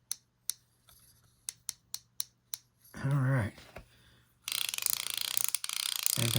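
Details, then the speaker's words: Crisp separate clicks about three a second as the spool turns, then handling noise, from an Airex (Lionel) Vagabond Model 1 spinning reel after greasing the drag and oiling the clicker and spring; drag clicker working properly. "let's tighten down our drag knob hey you hear that clicker underneath there"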